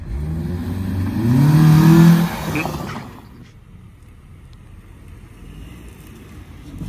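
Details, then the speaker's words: 2006-2007 Honda Accord 2.4L inline-4 with newly installed eBay short ram intake, warmed up: one-second blip with throaty breathy intake rush, then quiet idle; normal intake noise. "but instantly starting off the car you can hear the intake sucking in air that's so cool oh my god"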